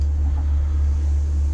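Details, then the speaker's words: Takagi tankless water heater pair after setting the altitude DIP switch one step higher (fan speed +6%), set to 131°F. The child unit has shut off, yet a steady low-pitch combustion-fan drone persists at low modulation; only a slight improvement. "so the child was already almost off i still hear that low that low pitch"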